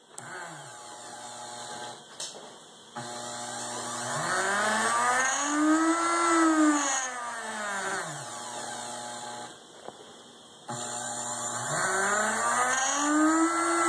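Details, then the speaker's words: 120 V AC motor on homemade 8-bit speed controller using reed relays: whine swells and sags unevenly, dropping out twice for about a second; failing relays cause uneven speed, improved by tapping the relays. "that would sound smooth if the relays didn't fail so in order to make it work I need percussive maintenance"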